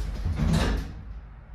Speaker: se vocês escutaram quando ele acabou de fechar ele fez um um barulho de estalo muito grande não é normal tá